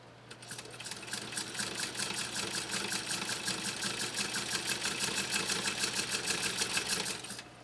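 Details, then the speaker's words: 1923 Singer knee-controlled Class 128 sewing machine stitching 100% polyester fake fleece: a quick, even, crisp needle clatter of about three strokes per second, with no knocking or binding, running smoothly. "all right let me mute it for a second so you can listen to this 1923 model 128 do its magic"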